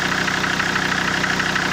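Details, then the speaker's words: SsangYong Rexton 2.7 diesel idling: sharp, evenly spaced knock on every firing persists after injector 3 was rebuilt and two other injectors got new nozzles; the service had blamed injectors, but the cause is still unknown. "То есть стук, как он остался, так он и есть."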